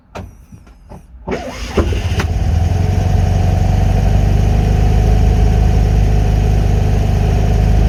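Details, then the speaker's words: Classic Fiat 500 twin, not run for a while, started on full choke after the idle screw was wound back from about 2 to 1.5 turns: brief sputtering crank, then it catches and settles to a steady idle; slow start after standing. "Okay, that just took a little while to pull fuel through because obviously it hadn't run for a while."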